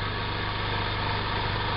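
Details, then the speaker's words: Small air compressor for airbrush work, listed at 47 decibels: a low, steady, even hum with no knocks or rattles. Very quiet normal running. "a difference immediately barely any saying that was it they're saying but it's very very quiet that is a compressor I can use at any time of the day or night with no issues whatsoever"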